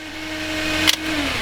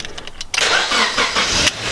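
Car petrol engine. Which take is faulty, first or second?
first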